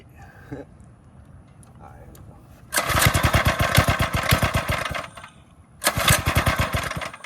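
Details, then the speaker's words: Drift quad single-cylinder engine with newly installed Nibbi carb, after draining carb: catches and revs in crisp even bursts, drops and picks up cleanly; sounds healthy, white smoke at first. "Wow. Wow. Ooh. That sounds beautiful."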